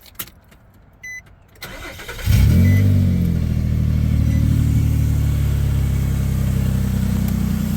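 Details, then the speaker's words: Nissan Xterra cold start: a quick crank and catch, then a deep, booming steady idle drone. It needs a muffler, with the noise coming from the exhaust area, while the engine itself sounds smooth and quiet. "but first I know for sure it's going to need Muffler so let's go ahead and do a cold start"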